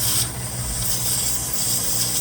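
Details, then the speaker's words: 2018 Ford F-150 3.3 at idle, intermittent check engine light, codes P0555/P0556/P050F: steady sharp hiss from a ripped brake booster sensor grommet causing a vacuum leak; fixed by replacing the sensor and grommet. "uh the boot has been ripped and it's making that hissing noise like a vacuum leak now right now I have the engine idling and you can hear the hissing now that's where the hising coming from where the uh Sentry is The Grommet"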